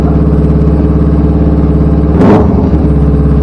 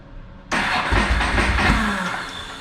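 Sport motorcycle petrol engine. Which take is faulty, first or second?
second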